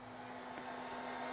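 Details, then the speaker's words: 600W inverter on a small booster pack running house circuits: as load rises to about 95 W, the steady cooling fan rush over a low hum grows louder; fan ramping up normally. "ran something but it just ramped up the now we're pulling a little more power P 95 Watts the fan really ramped up"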